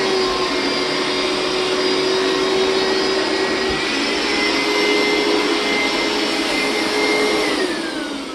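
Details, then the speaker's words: Hoover SteamVac Widepath carpet cleaner, about 20 years old: loud steady suction roar whose pitch shifts then drops away; this noise means the recovery tank is full and needs emptying. "All right, that noise means that the recovery tank is full, so I need to go empty it."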